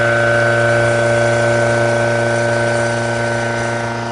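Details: Loud noise and heavy vibration during retest 3 at 7000 RPM: steady loud run with strong fixed tones and a rapid even throb around 200 per minute. Cause unknown.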